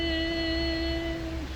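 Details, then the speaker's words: Nissan X-Trail/Rogue hybrid, not in ready mode, engine start requested via scan tool: a steady electric motor whine for over a second then sagging, with no cranking or firing; motor spins but doesn't turn the crankshaft, mechanical issue suspected. "the electric motor wait a minute the electric motor is spinning and it's not turning the crankshaft in order to start the vehicle what is going on"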